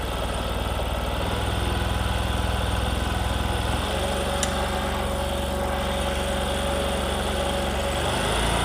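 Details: Discover motorcycle in a clip on mileage and engine sound problems: the small single settles into a smooth, regular putter at idle with no ticking or clatter; healthy and steady.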